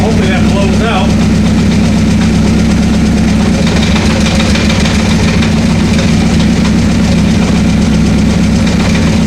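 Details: 1984 Honda CB700SC four-cylinder, first run after fixing a no-spark fault, choke off: steady, even idle with no misses or knocks; all four cylinders firing, no carb leaks, oil light off.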